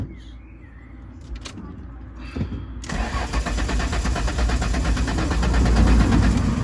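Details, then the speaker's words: Ford Mondeo ST200 just after fuel pump module replacement: a few quiet seconds as the pump primes, then steady cranking about four turns a second that never fires; owner suspects fuel not yet through, cause unconfirmed. Crank no start. "so i'm not sure if you can hear this but the you can hear the pump prime to fetch the engine on and just not quite firing for whatever reason i'm not too sure"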